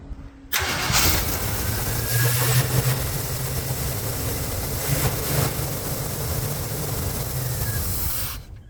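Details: 1971 Jeep J4000, 83,000 miles, not run in almost a decade, carburetor just rebuilt, not yet warm: V8 runs lumpy with a wavering, stumbling beat and won't idle unless throttled; rough running, owner suspects an incorrectly set float causing flooding.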